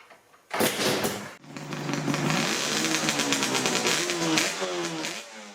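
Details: Yamaha RZ350 two-stroke twin on 32:1 premix, first start-up after fixing a wiring error and a spark plug cap: crackly catch, stumbles out once, restarts and revs freely with a clean rising buzz; running fine.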